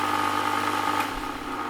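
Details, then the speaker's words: Vornado fan powered from the AC outlet of an Anker Powerhouse II 400: steady run with strong buzzing hum and uneven pulsing buffeting whoosh absent on wall power; owner unsure whether 110 V output or sine wave output causes it. "When I plugged in a Vornado fan to the AC outlet, the fan made a strange buffeting noise that did not happen when plugged directly into the wall. Take a listen."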